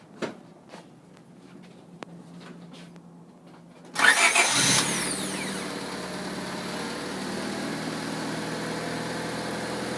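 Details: 1996 Honda Civic after starter replacement with a new starter and new negative ground cable: a few clicks, quick crank, engine catches at once and settles into a steady, even idle; starter working properly.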